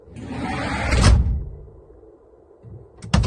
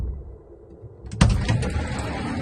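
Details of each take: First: Sobol 4x4 van sliding side door after adjusting its mounts (centering, then tightening top before bottom): door rolls and shuts softly with a muffled thud, no sharp metallic bang; previously knocked over speed bumps. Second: GAZ Sobol 4x4 diesel van's sliding side door shuts with a hard metallic bang and brief rattle from misaligned door mounts; fixed by readjusting, tightening upper then lower mounts.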